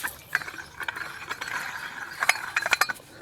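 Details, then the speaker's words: 1995 Dodge Neon 2.0 water pump, removed and turned by hand; it was never leaking: the shaft gives uneven, gritty clicking and ratcheting instead of a smooth spin, showing a worn bearing with play. Water pump bearing wear; pump to be replaced. "so if you have a problem with your water pump uh especially the uh Neons two lows probably this is probably it"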